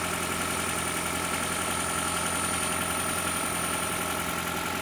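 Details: 2012 Toyota Prius with 2ZR-FXE engine during an oil pressure test: steady idle with an even knock at roughly three beats a second over the engine hum; internal engine knock, cause not yet found.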